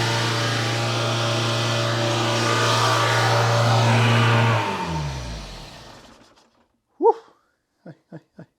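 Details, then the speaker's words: Barn-find Citroen BX 4WD engine, not run for about 13 years, first start after fitting the spark plugs: a fast, steady drone well above normal idle that then winds down. The owner suspects an air leak. "it got a hell of a lot of refs and I think it is drawing in some air from somewhere that's my guess at least"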